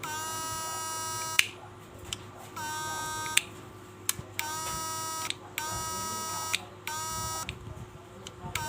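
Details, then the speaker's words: SNAPMAN 2022 Snap Inverter fish-shocker on 12 V battery, after repair completed: rhythmic buzzing bursts about a second long with short gaps, steady pitch; switching cleanly, working normally. "ฮะโอเคนะครับก็ถือว่าใช้งานได้นะครับช่างวิทย์ลืมตาก็ซ่อมเสร็จเรียบร้อยแล้วนะครับ"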